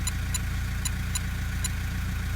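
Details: 2012 150 Prado 1KD-FTV diesel, about 150,000 km, cold, new injectors fitted: smooth, steady low idle with faint sparse light clicks, running normally.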